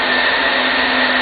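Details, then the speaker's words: Sun Fire server plugged into power but not yet switched on, only power supply fans running: loud steady rushing airflow with constant high tone, no wobble or rattle; normal fan noise. "So here we plug in our server. And our server gets ready by turning on some of the power supply fans, but it's not yet actually running."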